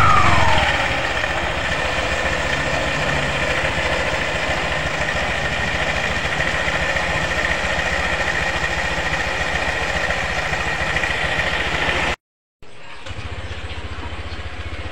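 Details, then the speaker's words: Honda PCX after CVT service for rattle and judder, pulley sanded clean of oil and dust to prevent slip: smooth even idle, steady low beat, no rattle or judder from belt drive. Normal idle. "Oke Alhamdulillah sudah selesai ya perakitan ini Kita tes dulu untuk motornya rekan-rekan"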